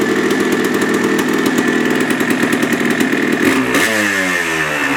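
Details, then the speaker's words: 1980 Yamaha IT175 two-stroke after top-end rebuild with new piston and rebore, warming up: crisp even idle with a steady popping beat and one throttle blip; earlier piston slap gone, remaining faint rattle is the clutch. "I like it. It sounds so good. That rattle is gone. Excellent. Excellent."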